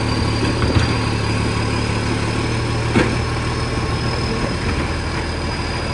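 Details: 2013 garbage truck, diesel at idle: deep idle with a loud, rough, raspy puffing on top that stays steady; a large exhaust leak.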